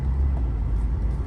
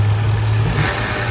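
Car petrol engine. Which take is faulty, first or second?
first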